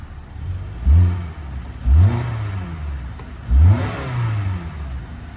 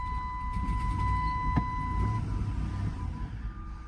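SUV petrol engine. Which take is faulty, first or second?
second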